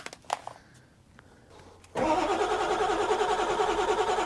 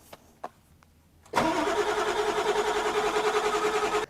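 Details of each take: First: 1997 Ford F-350 7.3 turbo diesel with a new starter, project truck with a fuse that keeps blowing: a couple seconds of cranking, then it catches and settles into a steady, even idle with no misses; starts and runs fine. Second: 1997 Ford F350 7.3 turbo diesel, 269,000 miles, new starter fitted: steady cranking, about three compression pulses a second, never fires, no relays heard; crank no start, PCM/IDM suspected unpowered.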